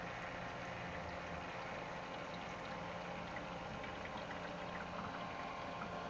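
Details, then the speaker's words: Ice maker running from a HomeYears power station's 500-watt inverter: low steady hum with a faint watery churn, even throughout; inverter handles the load and the ice maker runs smoothly. "so far the inverter seems to be handling everything um you can hear it so that has a really nice inverter built in"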